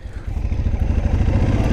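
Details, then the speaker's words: 2005 Ducati 999 (phase 2) L-twin with a light dry rattle over a lumpy idle at standstill, in neutral or with the clutch pulled. This is normal dry-clutch noise; a so-called silent kit reduces it. "Donc là, normalement dessus, on a le petit embrayage qui fait du bruit. Là, on l'a là."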